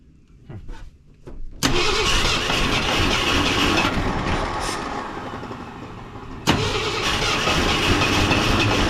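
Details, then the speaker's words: Wrecked 1974 Ford F100 parked for years, first start attempt: uneven, lumpy cranking that catches and stumbles rather than firing cleanly; three spark plug wires were found in the wrong firing order and corrected afterward. "Checked firing order. There were 3 plug wires wrong, so got that corrected."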